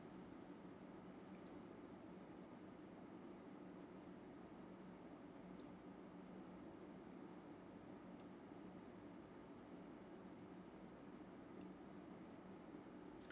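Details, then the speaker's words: UpHere NT1207-5 RGB PC fans, PWM, running at about 1230–1300 RPM and measuring 45 dB: an even, steady airy whoosh with a faint low hum and no ticking, rattle or bearing growl. Normal fan noise. "So we're getting 45 decibels. Not too bad for this RPM."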